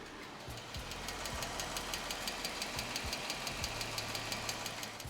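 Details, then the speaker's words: 2015 Jeep Wrangler 3.6L Pentastar V6 warm idle with sharp fast ticking, loudest from the passenger-side bank, quieter on the driver's side; worn rocker arms, fixed by replacing rocker arms and pushrods on both banks. "knocking sound and it's obviously coming from this bank here we go to the driver's side uh it's not as loud it seems like it's mainly coming from the passenger side"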